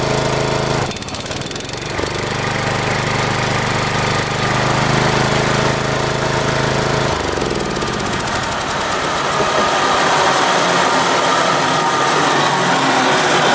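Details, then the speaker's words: Mower, sat unused over a year, starting then engaging blades: slow, lazy chug, pitch shifts as blades engage; RPMs not up very high, owner suspects engine too slow to spin blades fast enough to cut. "Will she fire? Let's see. Doesn't sound like the RPMs are up very high."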